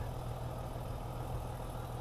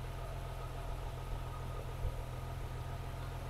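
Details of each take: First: BMW E36 M3 after intake plenum reinstall, warming up: smooth, steady six-cylinder idle, deep even rumble, no ticking or puffing; previous exhaust leak no longer heard. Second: BMW E36 M3 straight-six after intake plenum reinstall idles with a deep, uneven rumble and occasional stumble; misfire at idle though fuel trims show no additive correction on either bank; owner suspects vacuum leak, smoke test found none.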